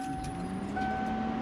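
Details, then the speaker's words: Ford foxbody Mustang with turbo GT40 build, untuned speed density, being started after sitting about a year: fuel pump hums at key-on, fine high whine stepping up partway as it primes. "I hear a fuel pump"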